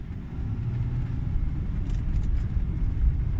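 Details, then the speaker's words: BMW F10/F07 5 Series road test after suspension repair for knock over small potholes, driving through crossing; only steady low road rumble, no clunks or knocks from the front end, no suspension knock. "всякие стуков нет"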